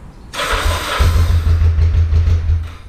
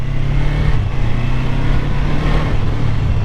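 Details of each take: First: 1985 Kawasaki 454 LTD EN450 cold start (sat four hours), little choke, after carb rebuild and valve adjust; starter turns, catches after half a second, runs lumpy and uneven, sounding like it lacks fuel at first; hesitant cold start, cause unconfirmed. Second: 1985 Kawasaki 454 LTD EN450 twin, first running in a decade after valve adjustment, new plugs, carburetor rebuild, compression 150/140 psi, ridden on street: steady throaty drone like an angry lawnmower, even firing, no knocks; engine healthy, though front brakes weak.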